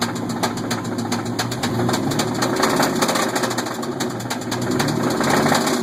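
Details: 1998 Chevrolet S10 engine: sharp, hollow knock about four blows a second over the running engine. Rod bearing knock; head gasket failed, coolant mixed with oil and ate up the bearings.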